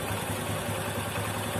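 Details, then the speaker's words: Honda Supra 125 with a weak cam chain tensioner, spring likely worn or near breaking: small single idling with a light busy rattle over its steady putter; the noise returns after the tensioner is pushed in; slack cam chain. "Bunyi itu akan kembali dengan sendirinya dan menjadi berisik lagi seperti sebelumnya."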